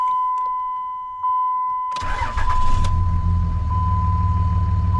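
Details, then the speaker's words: Dodge Ram 2500 5.9 Cummins diesel after repair with FASS fuel pump system; door chime, brief crank, catches within a second and settles into steady, even idle with no stumbling; starts right up. "starts right up man"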